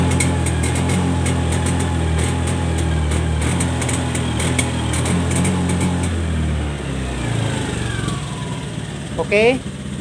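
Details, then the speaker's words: Honda Scoopy eSP scooter (2017–2018 on) at full throttle. It revs, then stutters and cuts out, topping out around 60–70 km/h instead of 100. Cause: shifted throttle position sensor and dirty throttle body; fix: throttle body service, sensor adjustment, FI reset. "Jadi kalau digas pol dia itu mbet mbet tidak bisa lari sampai 100 dia larinya sampai 70-an seperti itu."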